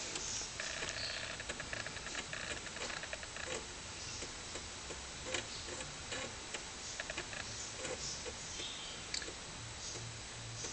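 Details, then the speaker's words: Amiga 500 (about 25 years old, Workbench 1.2) loading the Fun School 2 test disk: quick irregular ticking and clicking as the floppy head steps, over a soft motor hum; normal seek clicks, drive reading as it should. "Not the fastest loading disk in the world, but it does demonstrate that the disk drive is working as it should be. You can hear it clicking away there."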